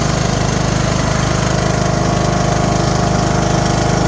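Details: Briggs and Stratton 18HP mower engine after repair (lifted valve seat reset and crimped, exhaust valve lapped, valves adjusted, new carb): first start, loud, even, steady chugging with no misses or knocks; it runs smoothly.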